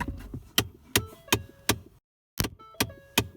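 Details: 2015 Ford Fiesta ST passenger-side blend door actuator with broken plastic gear teeth: sharp, evenly spaced plastic clicks, nearly three a second, heard when the car is turned on, from behind the glove box.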